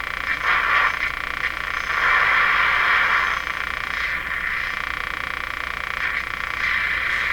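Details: Electrohome Serenader 9A62-S tube radio during alignment, on the outdoor antenna: uneven croaking bursts in the upper midrange, about three or four a second, over steady hiss; interference noise of unknown origin.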